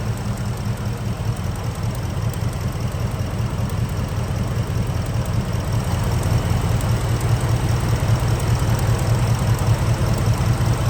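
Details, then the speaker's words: Gen 1 Ford Raptor V8 (11 years old, 125,000 miles) at steady idle with a light, fairly regular tick, two or three a second, on top; owner feared cam phaser, mechanic suspects a bad coil pack arcing through the boot to the head. "So maybe I'm ignorant, but I didn't know the coal pack actually made a noise. So they don't What happens? Go ahead. Cut that off. What happens with them? They sort out through the boot to the box or the head. And that's what you hear."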